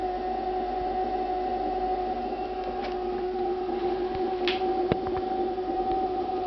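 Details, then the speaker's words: Refrigerator producing a constant siren-like whine at two steady pitches, one mid and one lower, unchanged for about two minutes; owner considers it abnormal, cause unknown; the ventilation fan starts up afterward. "Après ils vont me dire que c'est le bruit normal d'un frigo ça. Ça fait 2 minutes que ça dure."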